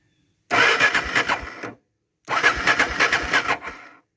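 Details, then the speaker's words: Honda XR650L adventure build, in neutral: two short bursts of even starter chugging, about a second each, and the engine never catches because the ignition was left off. "Oh, well, you know, it might help if I turn that on."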